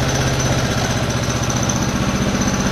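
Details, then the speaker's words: Restored Honda GL Pro single with new CDI, battery, key switch, cut-off and digital speedometer, kick-started with the switch on: kicks over and settles into an even, steady putter with no misses or knocks. Healthy idle. "Nah, jika ini saya on kan, itu sudah on ya, speedometernya udah nyala ya. Mesin menyala Kak."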